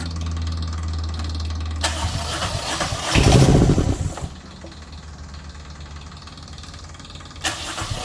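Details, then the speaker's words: Diesel genset from a Tiara boat, run on the bench with fuel and antifreeze bled and exhaust into a makeshift muffler can: it fires and settles into an even, steady beat with no knocks. Output reads 135, with no leaks. "well she's putting out good output 135 wherever it should be i don't see anything leaking anywhere"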